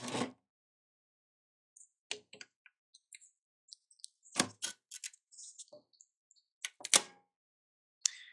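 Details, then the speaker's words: Elna eF1 semi-industrial sewing machine, 20-weight Tex 45 thread, factory needle, needle-down stop: thread cutter gives scattered sharp clicks and heavier thunks instead of one clean snip; clunky, something possibly caught, foot setting suspected. "that did not go as well as I wanted it to the thread cutter it was a little clunky sounds like maybe something may have gotten caught there"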